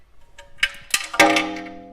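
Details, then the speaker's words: Metallic clanging from the front brake area while backing up; sharp bell-like clangs as the wheel turns, something catching between the brake dust shield and rotor; owner suspects a rock lodged behind the dust shield, unconfirmed. "and I think we just have a rock in there but man it mates wicked wicked bad sounds when I was backing up to her there"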